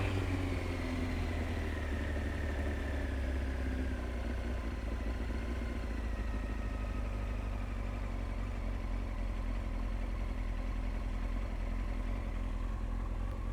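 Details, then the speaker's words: Honda CBR900 Fireblade SC33, warmed up, after fixing a dead number three cylinder and balancing the carbs: nice steady even tick over with all four cylinders firing, no popping, banging or lean backfiring, good throttle response. "nice steady tick over no popping and banging let's just see what the throttle response is like absolutely good"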